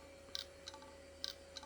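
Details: Hard drive from an IBM/Cyrix Socket 7 Windows 98 PC, held close to the camera after the table-whacking trick: sharp irregular clicks roughly every half second over a faint hum, the repeating chug of a dead drive.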